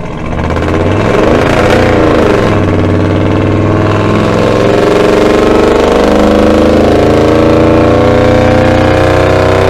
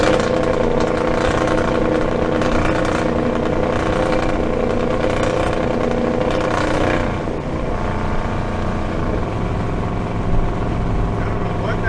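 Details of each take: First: 1975 Dodge D100 V8 with Holley Sniper EFI on a freeway acceleration run. Revs climb smoothly under load without stumbling, running much better. Owner suspects the earlier problem was fuel starvation from fuel sloshing away from the tank's bottom pickup. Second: 1975 Dodge D100 hot rod with Holley Sniper EFI at full throttle on the freeway. The drone stalls and won't climb past about 3,500 rpm or 75 mph, then falls off. Cause unknown at the time; fuel starvation is suspected.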